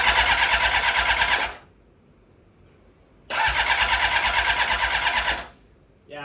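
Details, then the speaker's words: 7: Honda CBR 600RR after an engine rebuild, cranked on a new, freshly charged battery. Two bursts of brisk, even cranking never fire; the motor sounds good but gets no gas, and the owner plans to check for pinched hoses. No-start from fuel starvation. "No gas. Motor sounds good. The motor does sound very good."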